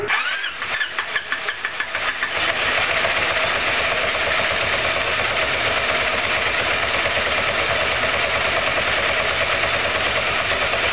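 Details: Roketa MC-54-250B scooter, 1730 miles, stalling at every stop: starter grinds through several slow cranking beats before catching, then uneven idle; intake and exhaust valves had no gap at TDC, fixed by adjusting valves.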